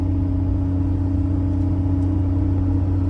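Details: 2018 Ford F-150 Raptor at 40k miles, heard in cab while cruising with rear window open: steady low constant-tone hum/whine from the rear over road rumble; owner suspects rear differential after swapping mud-terrain for all-terrain tires, unconfirmed.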